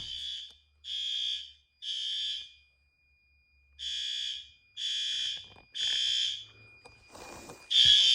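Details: Fire alarm horn during monthly life-safety testing, sounding in loud, high-pitched blasts about once a second, clear and strong at very high volume; all horns and strobes working, horn operating normally.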